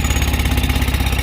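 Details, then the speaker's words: Tata Ace Mega XL diesel that previously would not start on the key, after cleaning the corroded key-switch connector behind the ignition lock: starts on the key and settles into a steady even idle with no misses; fixed. "R start করছি দেখো চাবিতেই, গাড়ি কিন্তু ইনশাল্লাহ rocket,"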